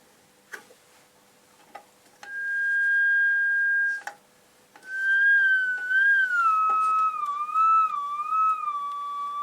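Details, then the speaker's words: AWA R7077 beat frequency oscillator, circa 1943, before cap and resistor replacement: clean steady whistle tone then smooth glides up and down as tuned, no hum or crackle; works, calibration doubtful, magic eye not fluttering. "um but i it produces sound at different frequencies uh is it calibrated i doubt it"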